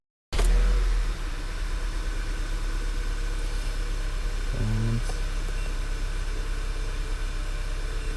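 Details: 2011 VW Tiguan 2.0 after replacing ignition coils and spark plugs for cylinder 2 and 4 misfires, codes cleared: starter catches at once and settles into a steady, even idle with no stumble or miss; repair fixed the misfire.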